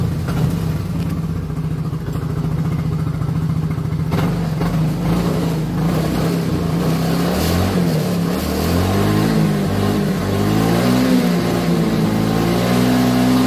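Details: Yamaha Mio Soul GT after the rusted fuel tank was replaced and the fuel-pump filter was cleaned, fixing bad sputtering and hard starting: the single cylinder runs steady and revs up cleanly without stumbling.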